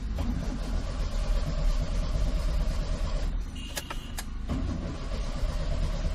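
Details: Maruti Suzuki 800 crank, no start: starter churns the engine over steadily for several seconds but it never fires, dash lights on; no ignition current reaching the coil, traced to a blown ignition coil resistor fuse.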